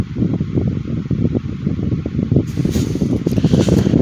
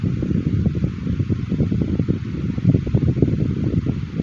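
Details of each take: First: 2010 Midea 12" FT30-8MB oscillating table fan on high speed: steady whooshing hum with faint irregular ticking; owner thinks it needs lubrication; noisy running. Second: 2010 Midea 12" FT30-8MB oscillating table fan running on high after a sluggish start: steady, even whoosh of air with a low motor hum and no ticks or rubbing; normal running on high speed.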